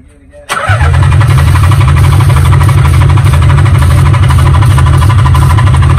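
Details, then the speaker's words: Nissan 300ZX Z32, sat for years: starter cranks steadily at about four beats a second but never fires, even with starting fluid sprayed into intake; fuel pump not kicking on, suspected no spark. "oh yeah i know that but it should have started with that so we probably have a no spark he doesn't have no fuel because the pump's not kicking off"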